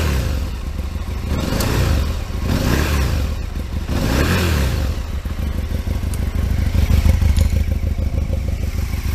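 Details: Aprilia RSV Mille 1000 V-twin fitted with a new aftermarket exhaust can in place of the standard one. A deep, lumpy burble with a few throttle blips, noticeably louder than stock: running normally.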